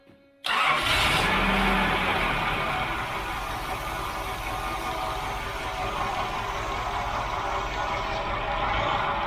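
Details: 1989 Nissan 4x4 pickup, eight-plug four-cylinder, parked about eight years, oil at five quarts, new clamps fitted, several vacuum lines still disconnected. Catches at once into a fast, slightly uneven idle with a hissy edge; vacuum leak.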